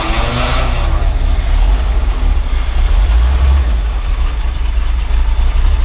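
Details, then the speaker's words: Old Dodge truck with a Chevy 350 V8 swapped in about 7 years ago but never finished, on old gas: deep, uneven, lumpy rumble at idle; rough running, which the owner says is expected from the old gas. "on old gas it's a little bit cranky but that's okay it's expected"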